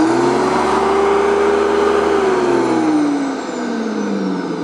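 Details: Ozito electric shredder mulcher motor after repair with overload circuit board bypassed and both safety interlock micro switches clicking: strong steady whine holding pitch, then sagging smoothly as it winds down; normal motor running.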